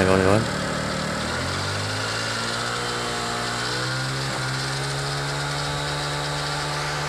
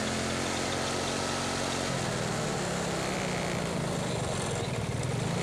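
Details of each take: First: Carbureted Yamaha Mio Soul, after repair of a faint whine and friction noise from the final drive (gardan) and reassembly of the cover. The engine revs and settles smoothly with no grinding or whine; the friction sound is gone. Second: Carbureted Yamaha Mio Soul scooter revved high: a faint friction-like whine over the drone from the final drive; suspected final drive gearbox bearing, damage mild.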